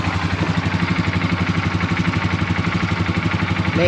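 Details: Polaris ATV after repair and coolant refill, first start: starter sounds good with no grinding, fires first try, then steady even pulsing about four beats a second with no knocks or misses; idles cleanly, no leaks.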